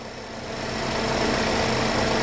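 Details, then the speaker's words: GMC direct-injection engine after head gasket redo; steady even idle with light fast ticking from the high-pressure fuel pump, which is normal; runs and sounds healthy: normal idle. "so it runs great it sounds uh it sounds sounds amazing"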